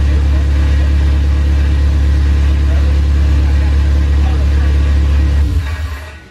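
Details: Honda Civic Si with a K20A engine, new exhaust and modified wiring harness, first run: strong, steady low drone holding even about five seconds, then winding down at shutoff, no knocks or rattles; normal running. Coolant described as kind of hot afterward.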